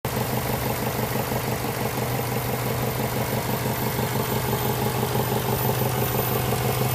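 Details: Subaru engine at idle: a light, regular tapping about three times a second riding over the engine note; engine knock of unknown cause.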